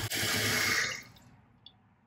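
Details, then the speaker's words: Toilet fill valve after replacing the valve seal: water rushes in, then shuts off cleanly with a single drip and no whistle. "no whistling all good"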